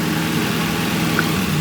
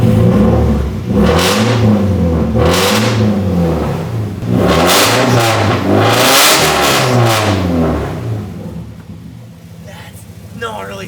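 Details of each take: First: Nissan 240SX (S13) petrol engine idling smoothly and evenly, a faulty ECU having caused a cylinder 4 misfire; it sounds completely normal, though a slight misfire remained. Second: Nissan 240SX petrol engine, very loud exhaust: revs in repeated swells with an intermittent misfire, the pull stumbling now and then under throttle; smoky, slow to warm up; owner suspects old fuel, earlier suspected the PCV.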